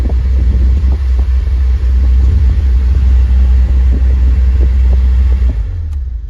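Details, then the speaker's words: 2015 Kia Soul 1.6L base, 104,800 miles, heater blower on top speed. Heavy, steady low rumble with a faint uneven flutter, audible from settings three and four. Began after a cabin filter change; owner suspects the filter or the broken cabin-filter door clips. "When you put it on three, you can kind of hear it. When you put it on four, you can hear it."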